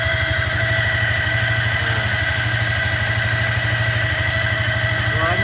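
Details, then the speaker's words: Yamaha Vixion motorcycle, long unused, fitted with a racing throttle: steady idle with a constant thin whine over the firing beat that never changes pitch, heard even with key on before starting; owner suspects fuel pump or water pump, comes and goes. "guys kayak suara plam Bereng terus kayakill water pump sini tapi hilang kambu lagi itu hulang su lagi ini bikin pusing saya guys"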